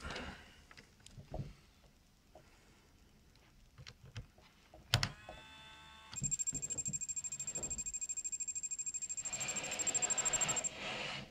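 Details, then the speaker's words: Brinsea Mini Advance egg incubator, first plugged into the socket on the lid, camera close: handling clicks, then a steady high-pitched pulsing buzz for about five seconds as it powers up and starts warming; normal startup buzzer. "So, together, when you initially plug it in, the incubator will sound its buzzer and start to warm up."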